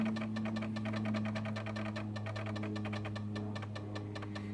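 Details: Zenith Z-NoteFlex NTB005 laptop booting from floppy, later data error reading drive C: rapid uneven clicking and rattling over a steady low hum while the disk is read; noisy, worn, struggling floppy drive that still works.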